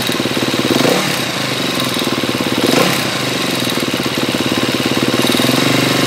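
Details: 2012 KTM 250 EXC-F dirt bike, 23 hours, on Motul 300V 15W60 ester oil, with a light, quick ticking over a steady idle that follows engine speed; present since 9 hours, source unclear.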